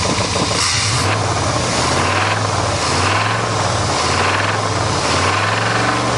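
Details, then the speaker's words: 1988 Chevy truck V8 running on all eight cylinders after a misfire check, revved repeatedly; a rough dull knock rides each rise in revs, rod and crank knock, bearings probably already spun. "it this thing definitely has some rod knock and crank knock so this engine is [ __ ] it'll run for a while but it's probably already spun the bearings"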